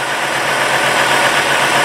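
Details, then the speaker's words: 2000 Ford F250 Super Duty Triton V10, 137,000 miles, after replacing all corroded coil-on-plugs (water in cylinders 7 and 10 wells, misfire, no codes): smooth, even idle with steady tone and no stumbles; misfire fixed. "I needed up putting all new coil impacts on all the plugs and everything trick runs really good now"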